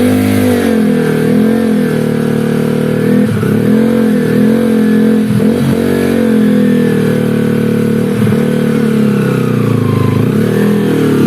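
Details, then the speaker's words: Honda Sonic engine in trail-bike build, after fix to reduce gear whine: revving in blips with only a faint high whine rising and falling with revs; whine now acceptably mild. "นี่นะครับเสียงหอนนั้น5นี่นะครับเสียงหอนนั้น5ก็โอเคนะครับ"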